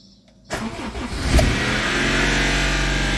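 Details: Car engine cold-started, oil level checked normal; cranks and catches into fast idle with harsh busy clatter from the top of the engine, oil light goes out; source suspected in upper engine, not confirmed.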